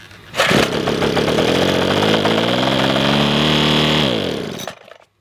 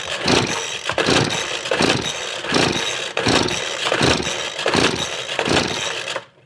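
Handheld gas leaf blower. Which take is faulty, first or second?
second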